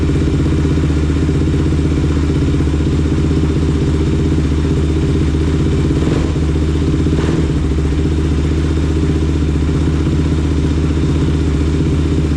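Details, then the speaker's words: Rebuilt Kawasaki KFX 450R single-cylinder running with a loud, steady, even beat and no knocks or rattles; pipe got hot quickly, slight antifreeze leak but no oil leaks seen. Healthy after rebuild. "That sounded fantastic. I'm very happy with that."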